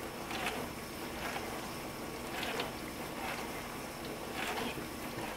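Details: Frigidaire LFBD2409LF2B dishwasher, two years old (bought 2015), in diagnostic test mode, possibly step 3 WASH (wash motor only, 45 s); steady water swishing and spraying with soft surges about every two seconds, no grinding or squeal. Normal wash motor.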